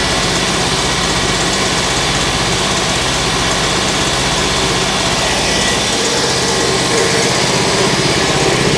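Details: Large two-cylinder Backer 111/2 air compressor (custom Backer pump, rated 1560 L/min), bought used, first start before restoration: loud even pumping about four beats a second, steady clatter, no knocking; runs like a beauty, normal running.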